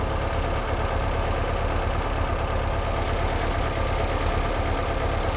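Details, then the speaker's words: 1958 Porsche 356A during Zenith carburetor tuning, idle around 900 rpm: low slightly uneven idle pulsing about three beats a second, a little fussy and unsettled while idle screws are adjusted. "it seems to me like it's a little fussy to be honest idle wise were right around 900"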